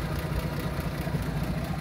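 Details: 1937 Plymouth Coupe, original flathead six with oil-bath air cleaner, idling with the hood open; carburetor rebuilt, with new hoses, spark plugs, wires and coil. Smooth, even low rumble with no knocks, misses or hunting; normal idle.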